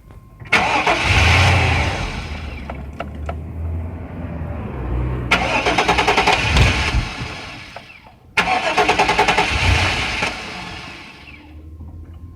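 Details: Chevy Tahoe gives three cranking bursts of steady starter churning, each a few seconds long, never catching into a run. It cranks but won't start.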